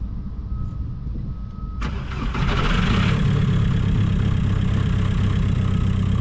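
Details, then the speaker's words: 1.9 TDI diesel in a Seat Ibiza, started on a jump pack, battery possibly weak: brief longer crank, then it catches and settles into a steady, even idle clatter with no misfire or hunting. "So, fired up pretty easily, to be fair. I just needed to crank it a little bit longer."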